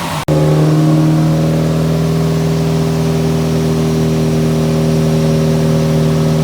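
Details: Nissan 180SX Type X, SR engine, TD06 20G turbo, on the dyno at 15 psi with injectors maxed near 255 rwkw: clean, strong engine note held steady under load with no misfire, knock or stumble. Healthy, pulling well.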